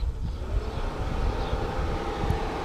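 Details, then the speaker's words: Mercedes SL500 R129 electric cooling fans powered directly by jumping the 30 A high-speed relay: steady, heavy whooshing roar with an even low hum, no rattle or scrape; fan circuit healthy on high speed. "Fans activate. This is a very good sign. That means that circuit is alive. High speed."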